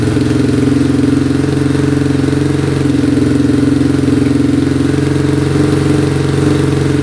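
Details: 2002 Yamaha Warrior 350 single, now on a battery: steady, even idle, no knocking or ticking; starts right up, still smoking a little, running pretty good.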